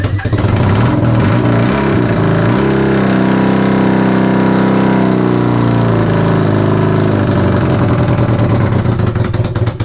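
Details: Honda CB250N Superdream project bike built from boxes of parts, new spark plugs, easy start sprayed into cylinders, half choke, slight throttle: engine catches, runs ragged with uneven beats, rises then stumbles and fades, firing only intermittently, not yet running on its own.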